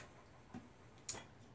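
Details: Kromski Fantasia spinning wheel in a quiet room makes two sharp wooden ticks about half a second apart as the wheel turns. The drive wheel is loose and rocks at the bottom.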